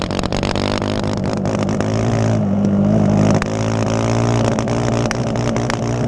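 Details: Yamaha Raptor ATV engine running and revving with an uneven beat, irregular pops and stumbles: engine misfire.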